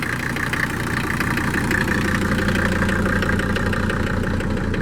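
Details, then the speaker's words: 1979/80 Mercedes-Benz 300 SD scrapyard diesel, first run after long sitting: idle with a steady light knock about three per second over the clatter; owner suspects sticking injectors, not confirmed. "A little knocky sounding. I'm sure we got some injectors that are sticking."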